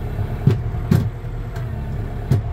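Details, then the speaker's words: Kioti RX6030 tractor, hydraulic remote lever moved from detent to float: engine revs drop back to steady low diesel idle with no pressure relief valve hiss; normal idle. "what you would have noticed that the engine revs have gone back to normal idle and you can't hear the hydraulic system pressure relief valve go off you can't hear the hiss"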